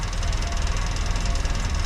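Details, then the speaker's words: 1956 Land Rover Series 1 109 after sealing the leaking exhaust flange joint with muffler cement: steady low idle rumble, no hissing or chuffing at the flange, paper test shows no escaping gas; leak fixed. "So immediately I can hear that it's a lot quieter. I can't feel anything. So we can't hear that hissing."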